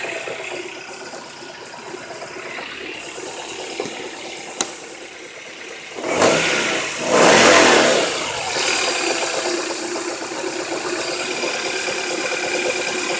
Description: Rod bearings on an h22 .. This is what a bad rod bearing sounds like